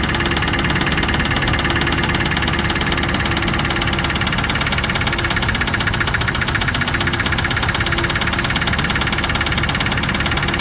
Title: Range rover classic 3.5 v8 engine knock....video after 10secs.